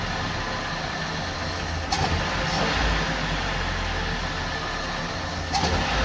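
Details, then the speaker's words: Long-parked 1980 Dodge Dakota, carbureted 4-cylinder with distributor and 5-speed, stone-cold engine. Low, uneven, lumpy idle barely holding on; idle is really slow, so a half turn of idle adjustment is planned, though timing is also suspected. "I'd see idle's just really slow I'm going to give half a turn"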